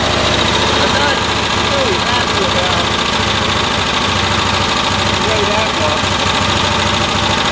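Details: 1972 Cushman Truckster, small engine revved with the air filter off and spark testers in line on a cool day (about 8°C); it stumbles and pops, still misfiring around 3000 rpm after new coils, though the spark looks more consistent. Cause unknown.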